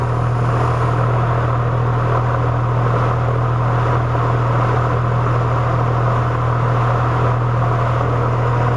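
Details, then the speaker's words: Heat pump outdoor unit, fan runs but compressor won't start, capacitor looks bulged, refrigerant present; steady low electrical hum without spinning up, compressor stalled, capacitor suspected. "it that's the compressor trying to start it's not able to start because it doesn't have the capacitor"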